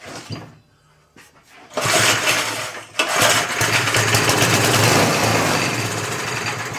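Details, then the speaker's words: 1979 vintage reel mower, long parked, fogging oil put down the plug hole: small engine catches and runs with a busy, rattly beat, some smoke from the fogging oil, no knocking; normal start and running. "Yeah, it blew out some smoke, but that should be from what we put in there. Sounding good. Anyway, knocking or anything."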